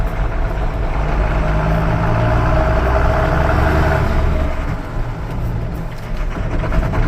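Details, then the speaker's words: Tractor diesel just after spreading dairy-barn manure, knocking after repeated restarts; heavy drone under load with a rough, uneven knock about four times a second, heavy smoke when knocking, run under 1500 rpm, window open; cause not yet pinned down. "Alright, this thing really rolls the coal when it's knocking too. I got the window open so you can hear it."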